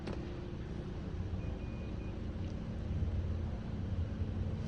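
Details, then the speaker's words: 2017 Chevrolet Malibu idling after replacing a broken camshaft position actuator solenoid/sensor for codes P0014 and P0017; previously hesitated and struggled to start. Smooth, steady low rumble with no stumbles, surges or misses. Normal idle. "put it on plugged it in and the car is not hesitating uh the RPM is staying nice and study and yeah"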